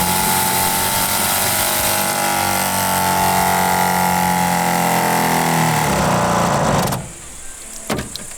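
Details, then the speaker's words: Off-grid cabin water system, pump with pressure switch that starts when pressure drops: steady buzzing hum with fast even pulse, winding down and cutting off cleanly once pressure is restored; normal pump operation. "Quando la pressione scende sotto un certo livello, la pompa si attiva e quindi rimanda in pressione l'impianto. Questo è il rumore che fa."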